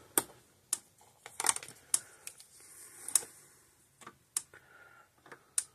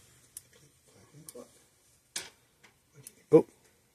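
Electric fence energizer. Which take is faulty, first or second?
second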